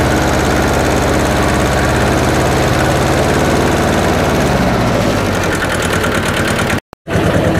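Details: Hinomoto E230 diesel tractor, revived after sitting for years, after bleeding air from the fuel: steady, even diesel clatter at a settled idle with no stumble or hunting; running cleanly.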